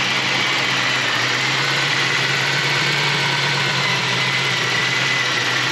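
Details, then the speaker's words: 1986 Chevrolet Corvette Pace Car convertible, original L98 5.7L tuned-port injected V8, 71,000 miles, 4-speed automatic. It fires right up into a smooth, even idle with a steady low hum and no knocks or funny noises. Normal idle. "L98 V8 fires right up just like it should."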